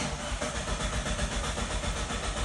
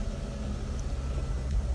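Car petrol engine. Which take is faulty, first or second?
first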